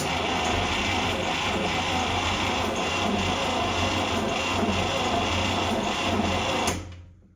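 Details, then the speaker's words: 1960s International Scout 800 Aristocrat, freed seized engine after long storage: steady starter cranking about four beats a second, never fires; test light shows no spark, points gap found too wide versus 0.017 spec. "I'm getting no spark there. I might need to check the gap."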